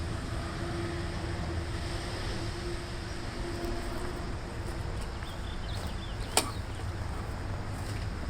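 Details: Lawn mower after bending throttle linkage back, air cleaner refitted, Seafoam in fuel: small single-cylinder engine runs fairly steady with only a faint surge left, improving; close to normal running.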